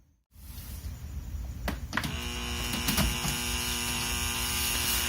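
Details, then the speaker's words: Used Rain Bird Professional sprinkler controller, after ground wire connected and plugged into mains. A steady low mains buzz with a faint high ring that stays even; the transformer humming persists despite grounding. Cause unclear. "that's too bad looks like it's still making the humming sound even with the ground connected"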